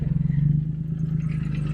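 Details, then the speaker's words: Lotus Evora with blown engine and blowby on cylinder 5, started after sitting about a year, still moves under its own power: lumpy, uneven idle with rhythmic pulsing chuff and clattery edge; rough idle from blown engine blowby. "I'm Gonna Leave the engine on so you guys can hear it um cannot currently pull it into the garage cuz sax and Zora is having problems but here so you guys can hear how bad it sounds oh God I don't like that"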